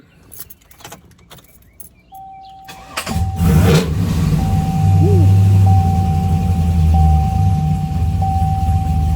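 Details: Trailblazer SS with LSA engine, after replacing the ignition switch for intermittent cut-off and no-start: brief crank, then it catches and settles into a steady even idle; starts and runs normally.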